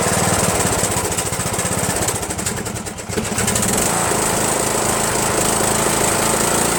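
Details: Rebuilt Briggs & Stratton 17.5HP engine in Yard Machines lawn tractor, after replacing carburetor solenoid with fabricated nut to unblock emulsion tube, no belt pulley: choppy chugging nearly dies around three seconds then recovers; still rough, mixture and throttle spring need work.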